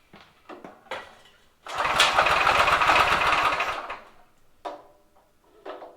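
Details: Drift trike small engine, carb idle screw set 1.5 turns out and idle bumped up, on choke: a few weak pulls, then a fast buzzy run of about two seconds that dies; won't hold idle.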